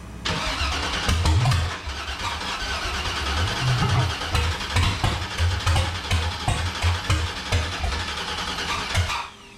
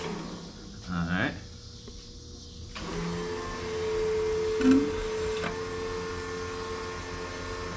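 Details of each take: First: Factory Five 35 hot rod truck first start attempt, fuel pressure present (peaked about 40): starter cranks engine in uneven bursts about eight seconds, never catches; crank-no-start, cause unknown, spark plugs to be checked for fouling next. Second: Factory Five 35 Hot Rod Truck on its first start attempt, no gas smell: steady electric hum for a few seconds with the engine off as the fuel pump primes; pressure rose from zero toward about 40 psi, target 58. Normal fuel pump priming.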